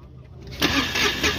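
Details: Mahindra Supro diesel with code P0201 injector fault from a broken wire and loose common-rail coupler, low battery: brief cranking catching with uneven bursts, never settling to steady idle; hard start before repair.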